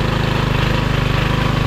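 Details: Briggs & Stratton 3hp IC Model 80212 four-stroke single on a Masport rotavator at full throttle: a fast, even firing thump with no skips or knocks, healthy running.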